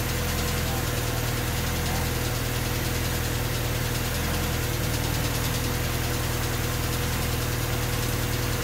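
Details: Honda D16Y8 engine on P28 ECU, idle after new spark plug wires and cleaned IACV reinstalled: low idle sags and stumbles unevenly, near stalling; rough hunting idle unchanged by wires and IACV, cause not found.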